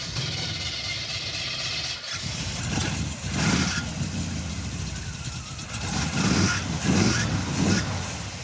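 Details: Junkyard Chevy Tri-Five with HEI distributor: ragged, uneven idle with popping as revs rise and fall; misfire persists after coil replacement, fuel ruled out, ignition module next suspected; cause not confirmed.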